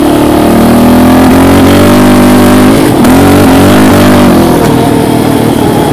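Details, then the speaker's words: Raptor 700 ridden during a clutch switch test; revs climb steadily, then briefly stumble and dip around three seconds in before picking back up, like hitting a limiter when the clutch switch is pushed; cause unclear. "let me just get out on the street here and open it up yeah I see as soon as I push that in"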